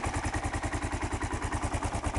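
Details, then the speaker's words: 2001 Kawasaki KLR 650 single idling after a cold start with choke, now off: steady, even thump of about ten beats a second, no ticks or knocks. Owner says it takes no oil; normal idle. "Idle a little. Sounds very good. No problem with it. Takes no oil."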